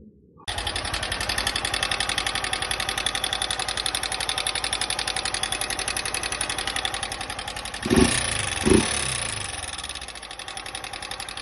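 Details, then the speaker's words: 160 single-cylinder motorcycle, 63,000 km, at idle: sharp fast metallic ticking on each firing beat; sudden loud valve tappet noise, fixed in half an hour without opening the engine. "Apareceu um barulho do nada de válvula alto, como como tá no vídeo aí, meia hora resolvi certo, serve de alerta aí."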